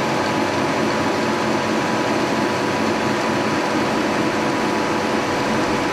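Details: 1943 Brown & Sharpe No 2 Plain Standard mill, first cut in decades, horizontal head side-cutting an aluminum block: steady whirring hum with even cutting rush, no chatter or knocking; normal cutting.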